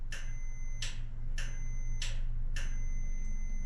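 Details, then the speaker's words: Kenmore dryer that won't start, unplugged, door switch tested with multimeter on continuity: sharp clicks each followed by steady high beep while pressed, showing the door switch makes good contact and is fine. "When we push it you can hear our DMM make a beeping sound and that's what because it's on continuity So whenever it senses continuity or connection between the switch that's going to beat so"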